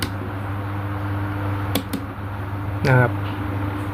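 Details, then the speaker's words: Sharp electric fan after disassembly and reassembly to fix an internal knocking noise, speed 1: steady low motor hum with light taps, no knocking; knocking gone, normal fan running. "เสียงกหายแล้วนะอ่ะลองก้มดูอ่านะครับหายเลยนะเสียงกงๆนะ"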